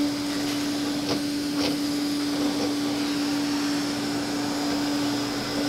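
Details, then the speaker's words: Old Hoover with a gasketed telescoping wand, owned since about 2007–2008; the motor was never or barely lubricated, with nothing done in over a decade. A steady, quiet, clean hum at constant pitch with no grinding or rattle; normal healthy motor running. "clicking that together is just part of the experience all right let's fire up the Hoover so quiet"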